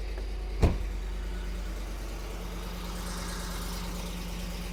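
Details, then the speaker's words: Ford Explorer Sport Trac after exhaust manifold repair (broken studs extracted, heat shield not yet on): a start thump, then a steady, low, even idle with no manifold ticking or puffing. Normal. "I think that sounds like a vehicle is supposed to sound. So, I'll still need to I need to put on the heat shield and just put the tire on. But, I'm going to consider the repair a success."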